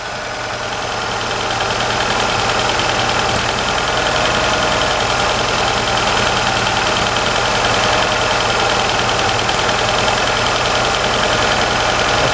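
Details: Hyundai, cold, after fuel pressure regulator vacuum check showed no fuel leak: steady hum with uneven, slightly lumpy idle beat; rough idle, cause not identified.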